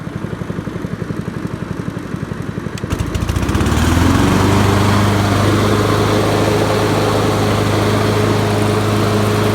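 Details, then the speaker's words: 20-year-old Honda HRB215 mower, previously ran rich with air filter on, after carburetor swap: catches after a few chugs, settles into even steady drone at slow idle, no misses or surging; running properly. "It's doing fine now with the new with the other carburetor. So I just got it idling on slow, so that's why it's not making so much noise."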